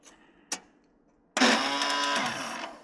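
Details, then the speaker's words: 1997 Murray riding mower, roughly 30-year-old starter that intermittently fails to catch: a click, then a high free-spinning whir for about a second and a half, engine never turns over; owner suspects a worn starter spring. "And my starter has been giving me issues. Where it's not wanting to catch. Sometimes it fires right up. Sometimes it won't."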